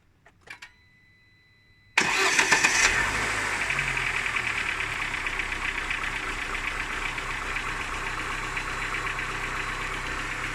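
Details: Cold engine catching after short crank, idling with light rapid ticking knock about four per second; knock fades as it warms and is gone at 90°C; hot compression 11 in all cylinders; owner asks what cause, undetermined.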